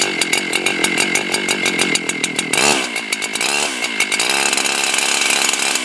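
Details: Husqvarna 371XP chainsaw after new cylinder kit replacing a scored cylinder, started with choke then choke in: sharp buzzy two-stroke crackle holds steady and picks up cleanly on throttle with no sputter; runs normally after rebuild.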